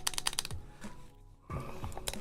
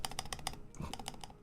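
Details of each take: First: That Osu like tapping. Let's go with that Osu tapping. Yeah, we're still getting a lot of ticking in there. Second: Neo Ergo keyboard after adding lube to the stabilizers: crisp, even key clacks, about five in the first half second, no tick or rattle after release; stabilizer ticking is gone.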